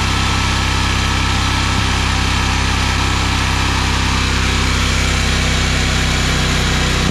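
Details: Generator in a bus-to-RV conversion fed by a new 12 V 5.5–9 psi fuel pump, checking the needle valve against the pressure. Steady even drone, no surging or stumbling. Normal running on the new fuel supply.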